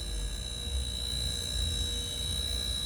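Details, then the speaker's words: Car AC system held under vacuum during diagnosis of a slow refrigerant leak, heard at the pump: steady thin hiss with a high whistle over the pump drone; even after long vacuuming it won't hold vacuum and keeps drawing air, so a leak is indicated. "지금 꽤 오랜 시간 동안 진공을 했음에도 불구하고 계속 진공이 유지를 하지 못하고 좀 빨리 오고 있거든요. 새죠? 오랜 시간 동안 진공을 했음에도 불구하고 계속 이 콤프가 공기를 빨아온다는 얘기거든요."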